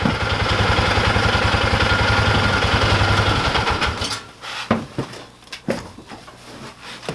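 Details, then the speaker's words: Ranger single-cylinder engine warmed up after carb cleaning removed a screen fragment stuck in the needle and float area, fresh oil change: steady, even putter about 3.5 beats a second, then shut off; normal idle. "I cleaned it again, but it's running great now."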